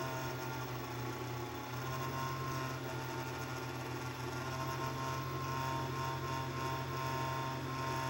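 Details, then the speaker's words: Fan in the base of a 6ft fiber optic Christmas tree: steady motor whir with coarse buzzing rattle, no speed change; fan vibrating, mounting bracket over the fan may not stay in place, cause unknown. "we don't really know what is causing the fan to do that um something I'm gonna try is see if I can get some like small pieces of fabric lay one on the bottom underneath the fan and another one on the top above the fan and see if that quiets it down"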